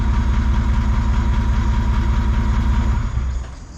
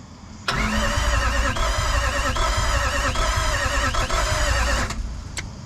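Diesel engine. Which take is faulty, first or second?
second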